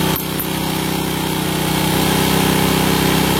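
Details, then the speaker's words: Honda Supra motorcycle, won't rev fully and is slow to return: with the air screw at 1.5–2 turns and the throttle released it hangs at a fast, steady buzzing idle. High idle from an undersized pilot jet. "Jadi dibuat 2 putaran atau 1,5 putaran, itu gasnya sudah dilepas, setelan gas itu gasnya masih besar. Itu tandanya pilojet kekecilan."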